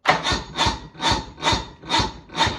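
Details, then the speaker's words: Restored 1986 Bass Tracker boat: sluggish cranking at about two strokes a second that never catches, sometimes surging; the owner suspects the battery isn't giving enough voltage. "But sometimes it surges to crank. Like sometimes it'll try."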